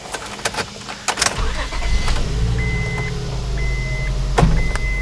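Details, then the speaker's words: 2004 Honda Odyssey V6 after replacing the cylinder 4 spark plug (fitted with anti-seize and dielectric grease) that caused the misfire: the engine catches and settles into an even, steady idle with no stumble, with a door chime audible. Normal idle. "oh yeah so much smoother it is amazing what one spark plug can do to make a engine run so bad"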